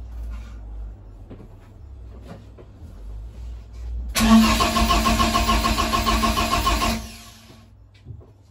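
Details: BMW E30 rally project: starter spins engine steadily about three seconds with no firing; no-start caused by swapped crank position and throttle position sensor connectors, making ECU read 100% throttle.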